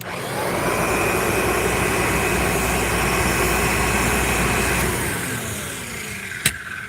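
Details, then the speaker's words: Upright vacuum cleaner motor running, then spinning down: a rough, whirring drone that the owner says needs motor bearing work, unsure whether the bearings are bad or could be repacked with grease. "It's a cool Kirby, but it needs motor work. This thing needs bearing work though, if you can hear that."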